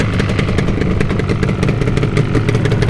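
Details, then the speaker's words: 1980s Yamaha RD350 LC two-stroke twin with new plugs and new fuel, brought out of the garage. Crisp, even two-stroke burble at idle with a steady rapid beat, no misses or rattles. Normal two-stroke idle. "So yeah, she's had a set of new plugs, new fuel, she's running okay."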